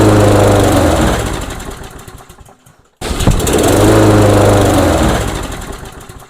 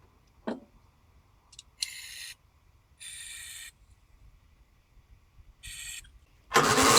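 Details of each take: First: Briggs & Stratton engine on a Yard King mower, compression believed adequate: fires and revs briefly only on starting fluid sprayed into the intake with the air cover off, dies, catches again and fades; fuel starvation traced to the carburetor. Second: Briggs & Stratton single-cylinder engine on a Yard King mower, after extra priming, air filter off: a few dead cranks, then it catches and settles into a fast, busy run with a rattly edge; starting normally.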